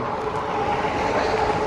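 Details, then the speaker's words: 2018 RadMini electric fat folding bike while riding: a thin, steady squeal over the riding noise holds its pitch throughout; a dry chain squeak that needs oil. "I can hear that guys I can hear it I can hear that guys chain squeak need some more oil"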